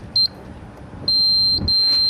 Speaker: and you heard the two beeps you move back down and come the other way